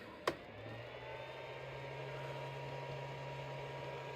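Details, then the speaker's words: Small modified sine wave inverter's cooling fan whirs steadily after a click with no load, running all the time and drawing battery current, unlike the pure sine inverter whose fan never turned on, even under load. "This little fella has a fan that runs all the time, which I mean, in the electricity world, it's drawing current, so you're wasting your battery."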